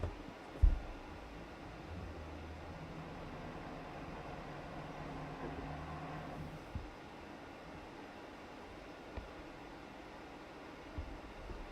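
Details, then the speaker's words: PC with a failing fan bearing: low, rough fan drone with a wavering growl that swells near the end; customer suspected an obstruction but none was found. "sure is that's a bearing yeah I can hear that from over here"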